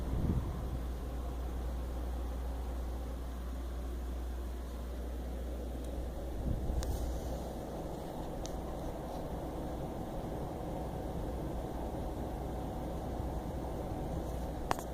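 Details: EVGA GTX 760 under test for coil whine: only soft, even fan hiss with no high-frequency whine from the GPU; whine is heard from the power supply only when the PC is shut down.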